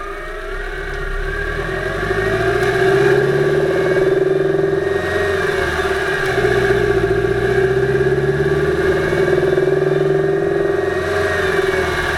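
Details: 2008 Subaru Impreza 2.5i driving, camera above driver-side timing belt cover: uneven tapping over the drone as revs climb, loudest around 2500rpm at light-moderate load, drowned out by more load, none below 2000rpm; cause not found.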